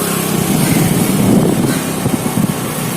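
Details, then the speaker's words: Honda Activa scooter after oil seal replaced (oil on CVT belt caused noise and poor pickup), full throttle: smooth even pull, steady drone, no belt slap, rattle or whine; noise gone. "अब एक पूरे फूल की तरह मैं तुम्हें एक race दूंगा। कोई आवाज नहीं है।"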